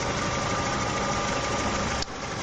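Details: Petrol engine after hydraulic lifter replacement: smooth, even idle with no valve-train ticking; the faulty lifters had been found by pressing them with a finger.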